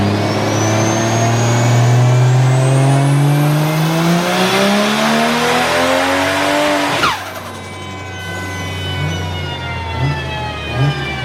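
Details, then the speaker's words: Toyota Chaser, stock-bottom VVTi 1JZ, Garrett G25-660 turbo, 1200cc injectors, DW400 pump, V160, on dyno tune near 400: hard boosted pull stumbles and cuts out mid-pull; fuel pressure loss, pump wire popped out from install error. "We had a little miss on that pull. Hopefully it's not coil pack or spark related."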